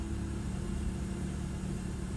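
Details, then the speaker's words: BMW E36 Compact 316i after replacing a faulty MAF sensor to cure a rough idle, misfire and air-leak emission fault: steady, even, stable idle with a smooth low hum and no stumble or miss. "that's much more stable let's go guys that's the new map so much more stable yes guys let's go"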